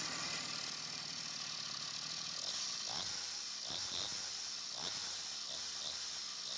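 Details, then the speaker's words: Two-stroke engine on 1:20 fuel mix after carburettor cleaning and no-spark ignition fault fixed: starts easily, accelerates fine, but high-pitched buzz at high revs sputters and stumbles; misfire at high rpm, carburettor needs retuning. "ถือว่าเครื่องติดง่ายนะครับติดง่ายมากนะครับแล้วก็เร่งก็พอได้นะครับแต่พอเล่นในรอบสูงๆแล้วนะครับเหมือนเครื่องจะมีปัญหานิดหน่อย"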